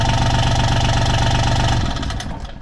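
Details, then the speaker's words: John Deere Gator XUV 855D after adding foam to seal the clutch housing: a steady, even diesel beat with no loose rattle. The clutch rattle that used to echo up through the pipe is gone, and it runs quietly. "yeah the audio doesn't translate probably but yeah that's that's a lot quieter you could hear that clutch like rattling and it would Echo up through this pipe"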